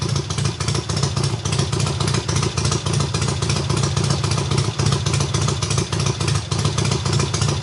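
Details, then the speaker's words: Triumph hardtail, first start after the engine sat almost a year: full cold start on the third or fourth kick, very loud lumpy exhaust of about three and a half pulses a second settling to an even run; healthy. "well holy crap that is so freaking loud but if we can start up on like what the third kick fourth kick something like that and that was I swear on my life that that was a full-blown cold start"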